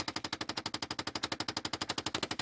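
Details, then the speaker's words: Stuck blend door actuator behind the dash of a 2008 Chevy Impala, located above the gas pedal, clicking constantly with the key on; rapid, evenly spaced sharp clicks, about eleven a second, no engine; fix is replacing the actuator. "they get stuck and they stop working so they go click click click click click click and the only way to stop that is to change that actuator"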